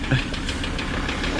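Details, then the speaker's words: Toyota 76 wagon with a six-speed automatic at auction, just started, idling rough with rapid steady deep knocking every crank turn; rod knock in the bottom end. "a rod knocker she's a bit Taffy"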